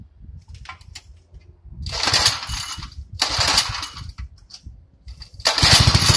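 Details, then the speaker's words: 1964 Wheel Horse Lawn Ranger with a rebuilt and cleaned carburetor: the engine rises and falls in bursts every second or so, never holding a steady idle, then dies. The owner believes it is a fuel problem in the carburetor. "if you listen to it it's got that surging problem and i'm trying to get it out of it and i cleaned it and everything and i can't do it and then it dies out so it's got a fuel problem definitely it's in the carburetor"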